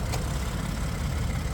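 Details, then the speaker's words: 2012 Ford F150, 3.5 EcoBoost, 4x4, 194,838 miles, hood up at idle: an even, low, smooth idle with at most a faint light tick, judged not concerning; normal idle. "Well, looks good. Well, sounds good. Little bit of a tick, maybe, but I don't think it sounds like anything concerning."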